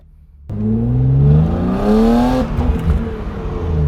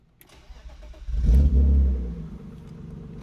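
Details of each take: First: BMW E36 M3 on a test drive after removing a badly clogged factory muffler (muffler delete): strong, clean pull with revs climbing smoothly and no flat spots; engine breathes freely again, normal acceleration. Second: BMW E36 M3 with clogged factory muffler removed (muffler delete): short crank, booming catch, then deep heavy loud unmuffled idle rumble; clogged muffler had been restricting the engine.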